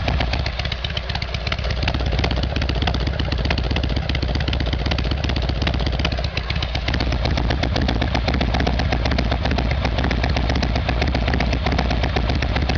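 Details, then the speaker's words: Harley Evolution Sportster after carburettor fix, cold start on choke: loping V-twin fast idle, steady and even, firing cleanly with no stumbling or missing; sounds much better. "Okay, well that sounds a lot better."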